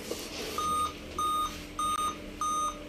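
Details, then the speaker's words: Dell Inspiron 3520 laptop, display and Windows run normally: clear high beep about a third of a second long repeating about every 0.6 seconds continuously from power-on; cause not yet found. "आप यह लगातार जो है ना यह BP की आवाज़ कर रहा है"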